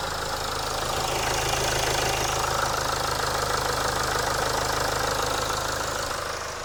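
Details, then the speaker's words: Land Rover Discovery Sport Ingenium diesel after engine oil and filter change: steady even idle with usual light clatter, no misses or odd knocks; normal idle. "Sounds good. Alright, got to turn it off for now then. Good. Sounds alright, doesn't it?"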